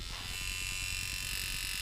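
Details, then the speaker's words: Mojobox tattoo machine: fast electric buzz with thin whine and uneven stuttering beat; impact screw backed out too far, less of a problem at higher volts. "gets that stuttery thing, kind of like the Sidewinder will. But at higher volts, it's not a big deal."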